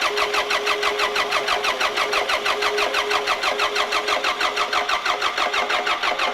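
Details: Shop forklift with an unknown fault, electric fuel pump now running after finding an on/off switch. Steady starter cranking with even compression pulses about three a second, but it never catches; cranks without firing.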